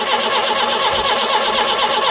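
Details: 1976 Peugeot 204 barn find, sat in a shed about 10 years, with new starter motor and fresh unleaded fuel, choke pulled: steady even cranking for a few seconds with no firing; cranks but won't start, carburettor bowl getting little fuel.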